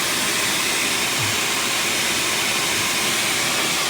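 A steady, airy hiss runs the whole time over a barely heard engine, with no knocks or clunks; that points to an exhaust leak.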